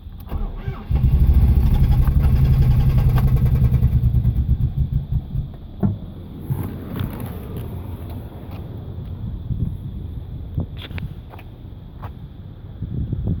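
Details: Nissan Maxima VE30DE cranks but won't start: starter churns evenly about three pulses a second, never fires. Fuel pressure 40 psi; MAF, IACV, injectors, plugs, coils, crank sensor replaced; starts only with crank sensor fully advanced.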